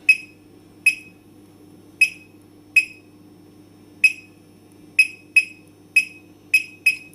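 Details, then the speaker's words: Fire alarm panel buzzer: sharp high chirps about once a second over a faint hum, sounding because a device is disabled. Clients complain about the noise, which is silenced by setting the buzzer for disabled devices to off in the panel menu. "so now we will disable disable sounds for any disabled device they will make sounds vaping every time beeping beeping so some clients complain about that one the noise of the funnel"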